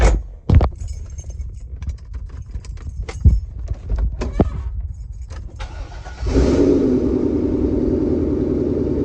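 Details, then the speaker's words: Car engine after serpentine belt replacement for a low-pitched squeak: keys rattle, engine starts and settles to a smooth steady idle with no belt squeal. "There is absolutely no squeal coming from the engine, so it's safe to say that replacing the belts work."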